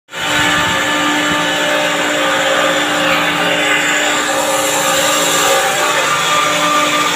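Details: Chiller compressor check: loud, steady hum with several fixed tones and a coarse hiss, constant throughout; compressor sounds abnormal, cause not identified.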